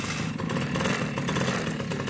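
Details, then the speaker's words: Small engine (lawn mower or similar) right after a clogged carburetor's jets were cleared by pressurising the fuel inlet. The engine catches and keeps running with a steady, rattly beat and no stumbling. Normal running after the fix. "whoa it started can you believe that that saved you a whole bunch of time"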